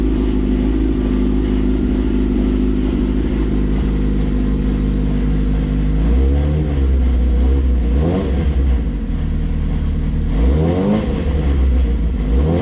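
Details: Smart car with a GSXR motorcycle four-cylinder (AWD build, dual side pipes), first start-up on a new servo electronic throttle with foot pedal: smooth high-revving idle, then clean blips rising and falling without misfire or rattle; normal revving.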